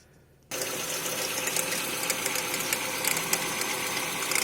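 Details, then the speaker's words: 2011 Renault Fluence petrol engine, cold, with fast uneven light ticking over a hissy engine-bay sound, worse when accelerating. A mechanic suspects the tensioner, which is vibrating heavily and has shifted off its mark; not confirmed. "Um barulho de estalo. O mecânico falou que pode estar vindo dali, ó. O tensor que tá vibrando bastante."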